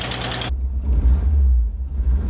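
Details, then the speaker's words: Porsche 914 2.0 just after new muffler fitted, idling in driveway before tune-up: loud deep rumble after brief burst, low drone with slightly uneven pulse; still rough, cause not pinned down. "Let's roll this thing out. See how it sounds. This could make me very happy. Still sounds like a potato launcher."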